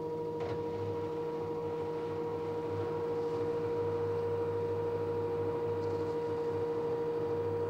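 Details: LG direct drive 6 kg F1058ND5 washing machine with a constant mid-pitched hum and a faint low throb, unchanged throughout. Noisy running, owner suspects the pump, not confirmed.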